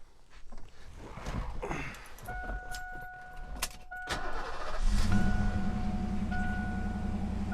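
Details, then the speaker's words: 1988 Ford Mustang GT convertible, completely original with under 1,800 miles, collector-auction car: door chime, then the V8 cranks, fires right up and settles into a smooth, steady idle; sounds good. "Fires right up. Sounds good."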